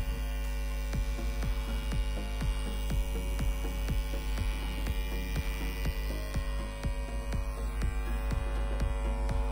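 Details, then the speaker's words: Hera 3 Pro tower speaker switched on with no input: a loud, low, steady hum with a regular throb about twice a second. The humming is attributed to a faulty output connector. "तो इसके अंदर जो है काफ़ी बुरी तरह जो है हमिंग जो है हमको देखने को मिल रही है।"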